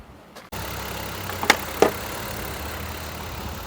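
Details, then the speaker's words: 2004 Mazda MPV with low power, idling: uneven low thumps about three a second instead of an even beat; dead misfire on one cylinder; ignition misfire from failing coils. "we definitely have a miss going right now I can feel it I can hear it"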